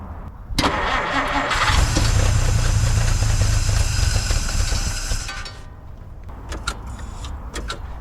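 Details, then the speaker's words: 1950 Dodge Meadowbrook on a 6-volt battery, carburetor primed with gas after fuel-system troubleshooting: short crank, then steady even idle without stumbling, oil pressure and generator gauge fine, about 115–118° at back of block; normal start and idle. "That sounds pretty good. The oil pressure is good and the alternator or the generator gauge is fine."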